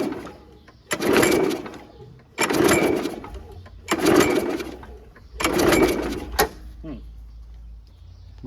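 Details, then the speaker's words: Free curb-found 2011 Toro 22" Recycler (model 20333), Briggs & Stratton 190cc Quantum engine, automatic choke, no primer: four hard rope pulls, each a whirring rasp with a pop near the end, never catching; it backfires out of the carb, and the owner suspects the flywheel key. "I don't know if you guys can tell. It was backfiring out of the carb. So, I think we might have to take that shroud off and look at the flywheel key."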